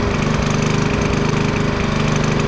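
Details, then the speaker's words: Champion generator, 10–11 years old, carburetor last cleaned about 5 years ago: the engine speed swells and dips in a steady cycle, more so once warmed up. Owner blames a dirty fuel system and says the carburetor needs cleaning. "Alright, that's a dirty fuel system, okay? The carburetor needs cleaned again."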